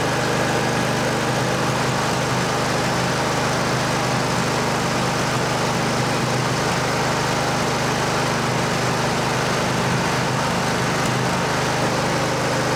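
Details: Cub Cadet LT1550 riding mower, no-start fixed after cleaning the fuel: small engine holds a steady, even putter the whole stretch, no misses or hunting; running smoothly now the fuel is cleaned. Normal idle.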